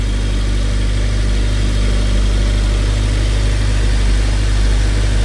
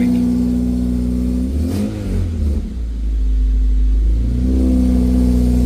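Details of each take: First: 2006 Honda Civic Si K20Z3 just fitted with Mercracing TVS-1900 supercharger, first startup: steady, even low rumble at idle with no misses, knocks or whine surges; runs healthy. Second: 2006 Honda Civic Si K20Z3, headers installed before the TVS-1900 supercharger: engine revs and drops back with a rough puffing rasp; loud exhaust leak from underneath at the header connection, likely needing welding, still present after adjustment.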